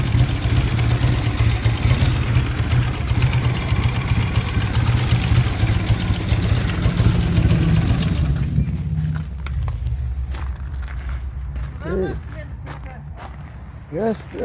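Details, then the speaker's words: Triumph motorcycle after repair of a holed piston, test ride: firm, even engine note for about eight seconds then fading, no knocking or rattles; nothing went wrong, bike sounds great. "well that was a good ride nothing went wrong bike sounds great think she's ready to go home"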